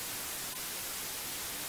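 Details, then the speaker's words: ammoon AM-6R USB mixer, microphone with phantom power monitored: constant quiet high hiss with no rhythm. Fixed by checking AGC and lowering the levels to zero in the Windows Sound control panel microphone settings. "as we can hear there is a white noise in the background which is a common problem using this mixer"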